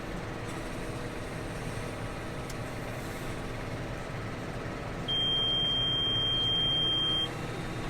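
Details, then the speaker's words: John Deere 6215R tractor at diesel idle: a steady high-pitched seat-presence warning beep of about two seconds, sounding because the operator lifted off the seat while hooking up a cultivator. "hear that beeping it was beeping because i was lifting off the seat it doesn't like that"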